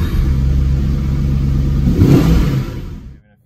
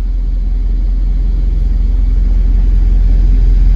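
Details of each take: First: 1997 Jaguar XK8 V8 with 12,000 miles, idling at a red light a few miles into a test drive after replacing the faulty ignition module: low, steady note with no missing or stumbling and no warning lights; it runs smoothly. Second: 1997 Jaguar XK8 V8 with 12,000 miles: heavy, uneven, lumpy rumble pulsing about three times a second, cycling between running fine and engine fault about every minute; a bad ignition module causes misfire on 4 of 8 cylinders.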